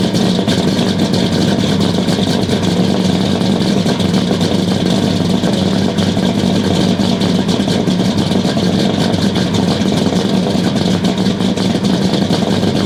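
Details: 1969 Buick Special Deluxe 430 big-block, big cam, first start after sitting over a year: loud, uneven, lumpy stumbling idle with no clean rhythm; running very rich because the choke was mechanically closed all the way.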